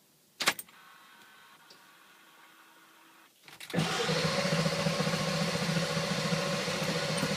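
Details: Ford Powerstroke diesel: a click and faint whir, then the starter cranks steadily with an even churning beat but the engine never catches; won't start without starting fluid, cause unknown.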